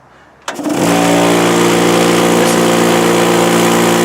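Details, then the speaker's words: DeWalt air compressor whose extension cord connection, treated with Force 5 marine product, is dunked in a bucket of water: motor holds a steady, even drone with constant pitch, no stalling or short; keeps running normally. "Plug together to the pink cord. Compressor's still running."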